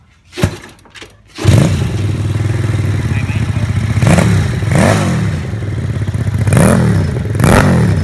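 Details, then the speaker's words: Homemade Vietnamese mini Ducati L-twin motorcycle, just fitted with exhaust, fuel tank, forks and wheels; after starting on the auxiliary cylinder alone, spark plug lead reconnected and both cylinders started; a few starting thumps, then a steady, even, low beat with light throttle blips; normal running. "Rồi, hai máy. Rồi cắm dây phin lại rồi, giờ mình nổ hai máy"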